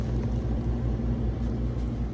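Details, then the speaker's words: Whirlpool side-by-side refrigerator WRS325FDAW04, not cooling in fridge or freezer: after tapping the temperature controller set to maximum cool, freezer fans, compressor and condenser fan motor start with a steady low hum and fan whir; faulty controller suspected. "If this works, you will hear the freezer fans kick on, the compressor start, and the condenser fan motor turn on as well."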